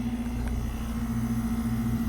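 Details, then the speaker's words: Brand-new 2024 Ameristar air conditioner with a Trane American Standard rotary compressor and a fan motor with two swept blades. It gives a quiet, even mid-low hum with smooth fan rush and no knocks or rattles: running normally and very quietly. "It's got a Trane American Standard rotary compressor. It's got an RU fan motor. It's got 2 swept blades. It's very quiet."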